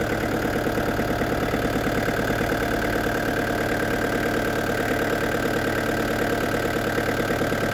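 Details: Restored diesel camper van with a new radiator, idling after a road test at up to 80 km/h. Steady, even idle with a uniform clatter and no misses or knocks. A slight diesel seep is seen at the pump; owner suspects another seal.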